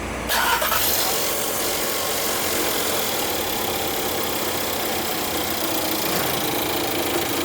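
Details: Skoda Octavia 1.4 petrol manual, just bought second-hand, after new V-belt and tensioner fitted, started without timing cover: catches right away, steady even idle with no knocks or rattles; normal idle.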